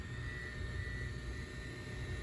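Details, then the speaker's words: R33 GTR with R35 LED internals retrofitted into the factory xenon headlights, testing the second side: faint, steady high whir of the headlight cooling fan; fan running normally. "It's working. You can hear the fan going off."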